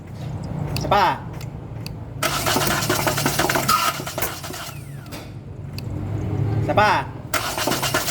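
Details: Hyundai Accent CRDi diesel, part 2 of no-start troubleshooting: the starter whirs and spins the engine over in two long cranking spells, but it never catches or runs. Crank, no start.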